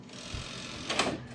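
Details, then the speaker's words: Optical drive of a Late 2004 Power Mac G5 1.8GHz (iMac-based) ejecting at a press: short buzzy whir and clack, a bit coarse and uneven; rough eject mechanism that still works. "sounds like it needs a little work, but it works."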